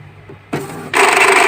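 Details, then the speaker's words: Epson L120 that had alternating blinking lights and a stuck carriage, after a reset and restart: a short whir, then a steady half-second buzz of the carriage motor. It is initializing normally and is fixed. "merdu sekali suaranya. sudah keluar suaranya ini udah."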